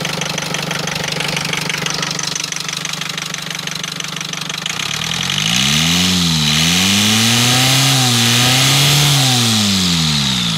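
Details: Rover diesel engine idling with a steady knock about three times a second, then revs rise and fall; source of the knock unclear; engine knocking noise.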